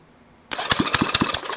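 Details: 1971 Honda CB350 twin on an engine stand after valve adjustment and timing, compression finger-tested good: even cranking on the starter with regular strong compression pulses about five a second, not firing yet.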